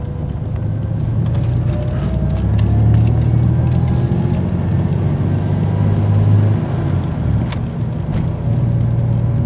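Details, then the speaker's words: 1996 Dodge Dakota 3.9L V6 driving on road test after replacing a locked-up fan clutch; low, steady hum with no fan roar; normal engine hum while driving, fan clutch disengaging. "It's nice to hear that hum again. Oh, bliss, dude."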